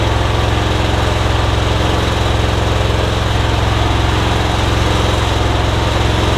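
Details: MTD Yard Machines rider after bent blade lever straightened to engage safety switch: even, steady single-cylinder putter about three pulses a second, no misses or knocks, charging battery; healthy normal running.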